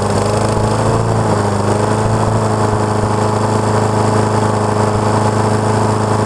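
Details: Neighbor's Honda HRX217 lawn mower, about 6.5 hp, reported to start, run a second and shut off; after auto-choke work, restarted and warming up. Steady, even single-cylinder putter with no misses or surging; running kind of okay, carburetor still to be checked.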